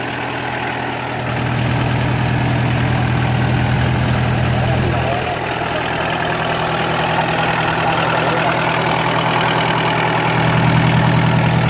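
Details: Kubota L3202DT four-wheel-drive diesel tractor, used, engine never opened up; steady even diesel idle, about 200 beats a minute, no knocks or misses; normal idle.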